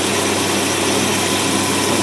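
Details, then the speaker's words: Idle of an engine with dual 400 CFM Carter AFB carbs in a 2x4 setup, electric choke, mixture 12:1 at idle: steady, smooth V8 hum with airy hiss, no misses, healthy. "we're going to kick this down you see that right there 12 part that's Federal good Federal standard good ratio for Idols cruising along"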